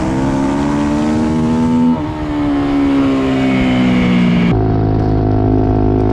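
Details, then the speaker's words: Race motorcycle at wide-open throttle: engine screaming flat out, then revs sag briefly before pulling again. Intermittent rpm drop; a gear sensor is suspected, though the rider believes he shifts firmly. "Non so se avete sentito, ma purtroppo ogni tanto la moto mi perde di giri mentre sto a gas spalancato e Andrea Zappa mi ha spiegato che potrebbe essere il sensore del cambio, anche se io sono abbastanza sicuro di mettere le marce in modo deciso."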